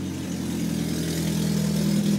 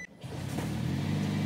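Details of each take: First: 2009 Toyota Prius revving in park after replacing a stolen catalytic converter; low steady drone with raspy, breathy edge from an exhaust leak at the new joint; clamp corrected, much better. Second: 2009 Toyota Prius with replacement catalytic converter after theft, first try sounded leaky, clamp corrected; revving in park to a steady, even drone without puffing or hissing at the joint; exhaust sealed, better.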